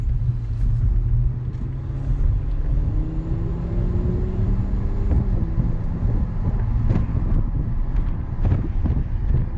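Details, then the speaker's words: 2020 Toyota GR Supra cabin with windows down at 50-60 mph: heavy low pulsing rumble and throbbing pressure beat of wind buffeting; the microphone under-captures how deafening it is. "And what that means is that sound when you're in a sedan or an SUV and you open the rear windows and it just feels like the wind is punching you in the ears. That happens in this car when you have the windows down, you're driving 50 or 60 miles per hour."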